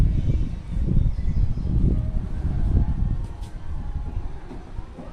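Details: Hyundai Tucson, front right suspension: dull, irregular low thumps about once a second; knock from a worn bump stop.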